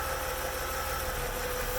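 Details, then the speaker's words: BMW 850CI engine idling smooth and even with steady firing pulses after replacing the fuel pressure regulator. The owner traced the surging idle to its vacuum line; the stalling surge at stops is now gone. "as you can hear the engines I've been absolutely perfect how it should be"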